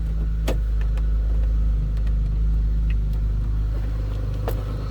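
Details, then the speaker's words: 2002 Chevrolet Monte Carlo SS Dale Earnhardt Edition with the stock 3800 engine, stored indoors, no service-engine light, heard from the back seat inside the car. A deep, even hum with no ticking or stumbling; a healthy, stock-sounding idle. "I'm going to slip around to the back seat here and run. Sounds like a stock 02 Monte Carlo should, with a 3800 in it."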